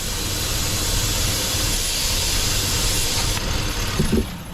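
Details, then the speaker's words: Engine warming up at idle with engine flush added to the crankcase before an oil change, vacuum line at the back pulled off: a steady loud airy hiss as air is sucked into the open line until it cuts off. "On the back, right there, right here is a vacuum line, and if you remove it, you will be able to hear the air. You got suction right there."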